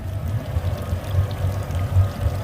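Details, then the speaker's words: Regal boat motor at 138 hours, just fitted with a new battery and lowered into the water: low steady idle burble with splashing trickle; telltale flowing normally after start-up, charging and oil pressure good. "all right we're down in the water good fire right up make sure she's peeing"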